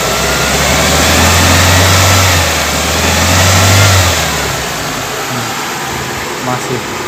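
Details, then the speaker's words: Toyota Corolla Twincam liftback gen 2, engine held at raised revs then settling: smooth hum, no knocking, rattles or crackle under throttle; engine healthy. "halus ya Kalau ada masalah pada mesin biasanya ketika dicas ada meletek atau suara-suara lain tapi ini benar-benar alus"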